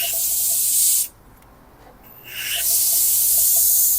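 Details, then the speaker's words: 2021 Hyundai Staria 8-speed automatic, 100,000 km, shuddering around 30 km/h: air test on the valve body gives sharp hissing bursts with no accumulator stroking sound, pressure leaking past a worn accumulator bore. "그 아까 제가 에어로 테스트했을 때 확인하는 거는 원래는이 어큐뮬레이터가 왔다 갔다 하는 소리가 들려야 되거든요. 근데 칙칙 칙칙 소리만 납니다."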